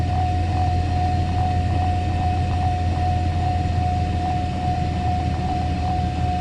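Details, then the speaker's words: Mercedes SL600 cold start and idle after throttle body and Egas repair, exhaust leaking: even cold idle with steady hum, faint whine and slight exhaust leak tick; idle speed holds steady, healthy. "So as you can see, they make nice healthy sound, and biggest thing now is the actual idle speed. Car is cold."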